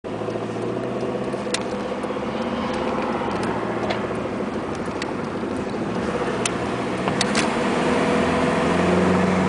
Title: 1994 Honda Accord EX VTEC 2.2L 4cyl Engine Knock 2